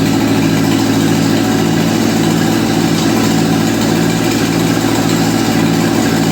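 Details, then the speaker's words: 1955 Ferguson TEA2085 tractor, an auction junkyard find that sat for years, started after oil reached the top end; steady, low chugging at a settled idle with no knocks or misses. Compression readings include two kind of low, yet it runs normally. "We took it out. It runs, it drives, the transmission works in all 4 gears and reverse. Everything is good."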